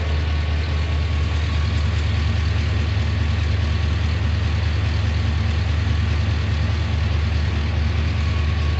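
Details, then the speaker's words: Junkyard 6.0 LS V8 in a 2500 truck after a new knock sensor and harness and new cam and crank sensors: steady, even low idle rumble with no ticking or knocking. Normal idle. "I don't hear too much in the way of tickings."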